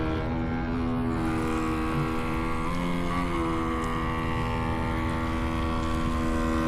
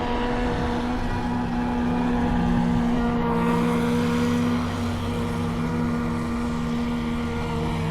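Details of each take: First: RC boat with Radiolink Cool 9030 ESC at slow speed: steady, even electric motor whine holding one pitch, no stutter or cogging; very smooth through the throttle, normal running. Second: RC boat with Radiolink Cool 9030 ESC, no fans or airflow: steady electric motor whine over water hiss, pitch sagging a little; boat running slow, not up on plane; owner suspects small battery about half drained.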